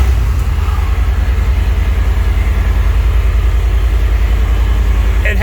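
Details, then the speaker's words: 1979 Dodge Power Wagon V8, budget off-road crawler build, started with a Holley carburetor: steady low rumbling idle with even pulses about three or four per second, no misses or knocks; running fine. "yeah here i'm gonna go ahead and fire it up seems like it's running okay now with a highly carb"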